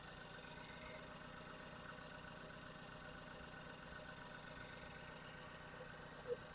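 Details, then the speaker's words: Ford S-Max 2.0 EcoBoost after timing chain replacement, first start after cranking to prime oil: quiet, even idle with soft steady hum, no rattle or ticking from the front, getting quieter, no leaks; normal idle. "so when you crank it a few times it is actually starting M to Prime the enging with oil getting quiet and quieter no leaks"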